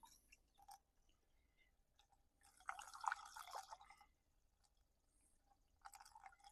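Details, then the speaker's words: 2020 Kia Sedona after thermostat replacement, refilling and bleeding the coolant system: quiet drips then a short glugging pour as trapped air bubbles out; bubbling or gurgling is normal while purging air. "If you hear it bubbling or gurgling or anything like that, that's okay. That's normal. That's what you want to hear."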